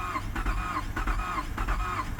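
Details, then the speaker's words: 2007 Lincoln MKZ that will not start, started via key and push-button toggle; steady rhythmic cranking about two pulses a second that acts like it wants to start but never catches; timing slip suspected, not confirmed; crank no start. "it kind of sounds like it's wanting to slip time it acts like it wants to start but then it kind of"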